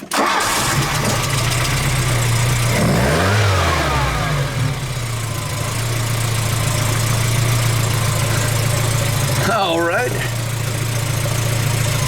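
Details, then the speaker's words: Engine started during an Ancel BA301 battery tester cranking test, battery 88% charged with 578 of 650 CCA: catches almost at once into a steady, even idle; tester reads cranking normal at 11 volts; normal cranking and start. "Cranking time, milliseconds, cranking normal, 11 volts."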